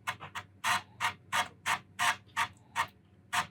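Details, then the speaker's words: Commodore Amiga 600HD floppy drive clicking with sharp, uneven head-step ticks as it loads Workbench at boot; the drive still works normally. "Floppy drive is still functioning though, which is great."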